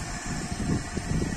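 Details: Water pump motor after capacitor repair and reassembly, previously only humming and needing a push to start: low steady motor rumble with a faint even hum, running normally.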